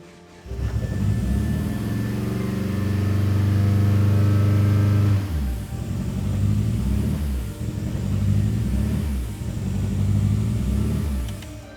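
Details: Big-turbo Eagle Talon after reseating leaking injectors on cylinders 2 and 3: lumpy, loping, uneven beat through the revs like a boxer engine, cylinders dropping out.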